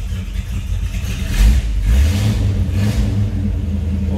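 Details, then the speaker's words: 1973 Chevrolet Nova Custom Hatchback, just started, on high idle: deep loping burble, about two pulses a second, steady with no misses; sounds healthy. "Engine does sound good, has a nice rumble to it."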